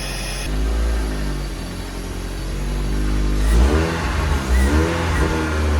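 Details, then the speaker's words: Toyota MR2 after engine reinstall and manual conversion, idle settled a bit with the cable thought to be stretched, no coolant or gearbox fluid yet: revs rise and fall smoothly with no knocks or misses; normal running. "So we've managed to settle the idle a bit. I think I had the cable was a bit stretched out. It's running good."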